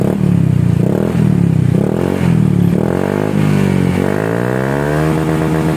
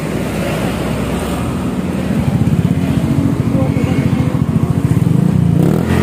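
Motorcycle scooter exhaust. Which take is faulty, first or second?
second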